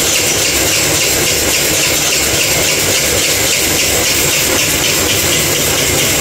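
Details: Kuba Valentino 50cc scooter whose top speed has fallen from 70-80 to 50-60 km/h: a constant, harsh, high grinding rasp as the engine struggles to run. Cause: stator rubbing the flywheel.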